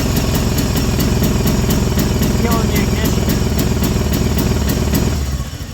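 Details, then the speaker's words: 1996 Arctic Cat Bearcat 454 ATV, not fully warmed, spark tester fitted: good spark at idle, then under throttle a fast snap about three a second drops away as ignition cuts. "something something's killing the ignition here so I've been trying to figure out what's going on with this articat why it's acting like it's got a rev limiter"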